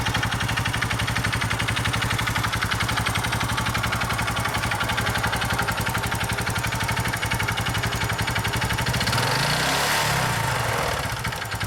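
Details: Honda Innova ANF 125i at 80,000 km, no power or top-speed loss, no exhaust smoke, oil use 0.2 L/1000 km, valve clearance 0.1 mm: steady idle with fast even ticking over the exhaust beat, rising briefly with a throttle blip; source unclear.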